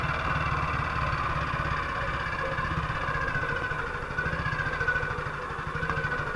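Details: 1958 BSA C12 single on a road test after its misfire was fixed: an even, steady thump with no dropouts or stumbles. The misfire had earlier caused a total breakdown; the 6.3 V battery tested fine. It sounds like it used to.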